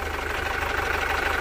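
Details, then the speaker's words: 2012 Chevrolet Captiva FL diesel that stalled repeatedly and is hard to start; heavy, uneven, coarse idle with strong engine shaking and black smoke. Suspected damage from biosolar (biodiesel) fuel. Rough diesel idle with heavy vibration. "Mesinnya bergetar sangat hebat. Bunyinya kasar dan juga mengeluarkan asap hitam. Jadi, ini adalah korban lain dari biosolar."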